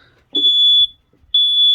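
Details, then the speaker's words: Campervan (VW Crafter self-build) during lithium battery fit with power off: two long piercing high beeps about a second apart from the carbon monoxide alarm; no smoke seen, owner suspects the alarm's low battery rather than gas. "what's that noise buu that's the cabin monoxide alarm going off in the van so first things you do really vent it open your doors let it vent"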